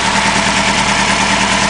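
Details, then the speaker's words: 2000 Honda Hornet (H65) four-cylinder, 15 years old, on standard silencers: quiet, fast, even idle with a fine steady ticking and no misses or knocks, like a sewing machine; healthy and not loud. "With these standard cans on them, they're really not very loud at all. Most people change these, give it more of a raucouser sound. But there it goes, ticking away like a sewing machine."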